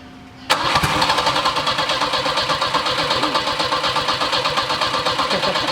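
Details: Turbo Volvo 740 with a harness fault blowing fuses, testing with relay plugged in: steady rhythmic cranking near three turns a second for over five seconds, tries but never catches. Crank no start; cause suspected, not confirmed.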